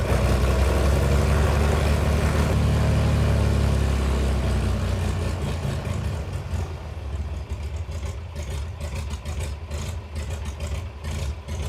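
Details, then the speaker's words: 68-year-old museum airplane sitting about 20 years, first restart: deep, lumpy idle with an uneven beat about twice a second that sounds like a big cam, but is actually cylinders missing, a misfire. "just sounds like it has a huge cam in it when what's happening is it's just missing"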